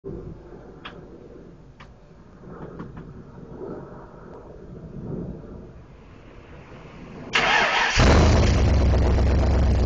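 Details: 1972 De Tomaso Pantera, first start after a year-long restoration: scattered clicks and shuffling, then the engine catches at about seven seconds and settles into a deep, steady, even run.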